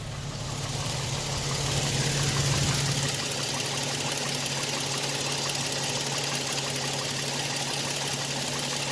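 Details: 2007 Toyota Tacoma TRD Sport 4.0 L 1GR-FE, 239,000 miles, idling: light even tapping three or four per second, dull knock low in engine, unchanged since 180,000 miles; owner suspects piston slap.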